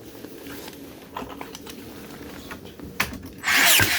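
Light mechanical clicks and ratcheting, then a short loud whoosh burst near the end; the nailer cycles without a clean drive.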